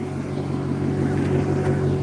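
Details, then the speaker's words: V8 car, warmed up and idling with the hood open: smooth, steady low burble. The earlier clicking or ticking has gone away and only light rpm fluctuation remains, which the owner believes is okay. "But yeah, once it's warmed up, everything is just pretty much chilling. And then the RPMs, yeah, just light fluctuation, which should be okay."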